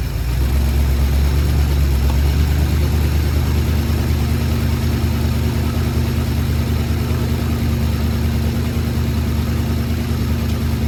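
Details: Ford Sunliner just started after a new starter, carb cleaning and float adjustment: idle with a loud, uneven puffing chuff about three times a second over a deep rumble. A really bad exhaust leak, black soot at the joint, to be resealed with high-temp gasket maker.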